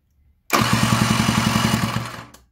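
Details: Scooter with a cheap replacement cylinder and piston after a seizure, spark confirmed, electric starter: spins the engine about two seconds with quick even compression pulses, around nine a second, but never fires.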